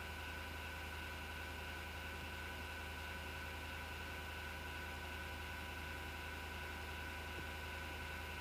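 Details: MSGW Plutos desktop PC power-supply fan: constant whirring drone with rough gritty edge and low hum, recurring after two months and vanishing after overnight shutdown; bad bearing suspected, not confirmed.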